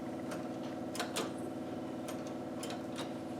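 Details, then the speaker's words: 1955 Buick Century after a carburettor rebuild, just before its first start: the electric fuel pump primes the carburettor with quiet, uneven light ticking over a soft hum, working normally. "okay I got the carbon manifold on I've got the electric fuel pump on Let It pump"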